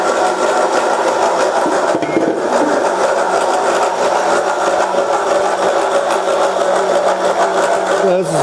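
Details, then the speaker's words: Milling a 90° V-block with an angle cutter on a cheap arbor, 1 mm depth, coolant, in hardened forklift-tine steel: harsh, uneven cutting chatter that grows louder as cuts deepen. Chatter from arbor runout. "cheap Chinese Arbor what you can hear it have some run out in it and as these cuts get deeper this thing gets louder because of the way the the Arbor is out of round you only have a few hit and so then it starts kind of chattering a little bit"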